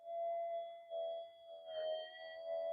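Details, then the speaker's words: Minelab GP Extreme/GP 3000/3500 metal detector sitting with threshold on: steady mid-pitched hum with overtones, wavering slightly in pitch and loudness; threshold drift and warble, said to be unrelated to the work done on it. "It's got a bit of drift and warbles, but that's nothing to do with what we've done."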